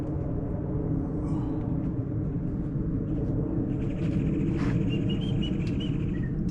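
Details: Honda pressure washer that sat all year in a basement, after carburetor cleaning (it had a little water in it), hooked up outdoors: a steady, even rumble with no misses or surging; normal running.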